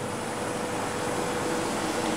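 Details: Homemade refrigerant recovery unit recovering refrigerant from an air conditioner at about 250 PSI, half its 500 PSI safety pressure-switch cutout, suction pressure falling: steady, even compressor drone with a faint hum and no knocks or surging. Running normally.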